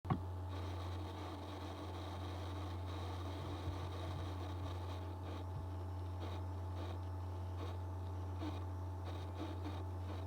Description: Hi everyone, so my 2019 15 inch MacBook Pro is making this odd buzzing sound when the CPU is under load.